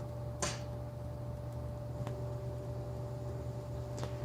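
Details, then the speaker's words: Centroid SC300P olfactometer running the clean-dilution-lines purge (step 4, 10-second duration): a few sharp, spaced valve clicks over a low steady hum as it cleans the air supply lines; normal purge. "now you may hear sounds from the device and that the device is currently cleaning the air supply lines with the specific algorithm in place"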